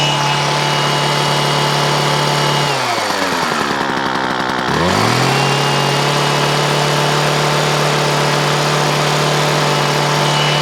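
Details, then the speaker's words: McCulloch Ego Light 6228 long hedge trimmer two-stroke, fuel and lines look fine: screams steadily, then sags and stumbles for a couple of seconds before picking back up; owner reports bogging, cause not yet found. "Taffy says it's not running right, mate. He says it's bogging down a little bit and all that sort of stuff."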